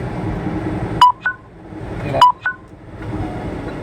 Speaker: my phone's dying I don't know if you guys can hear it beeping but I'm trying to plug it in and make it work